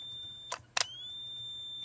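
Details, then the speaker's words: Galaxy 88 CB radio, heavily modified, with two solder traces bridged by a previous repairer: steady high-pitched whistle with a couple of clicks, audio feeding back through the mic; cause not yet found, echo board already unhooked. "that's not good your mic shouldn't do that"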